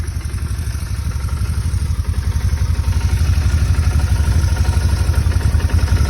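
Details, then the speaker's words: Motorcycle at idle; steady thump about four a second with faint buzz, fuel pump barely audible, no knocking or roughness: normal idle. "I don't really even hear the fuel pump right now so it sounds really good"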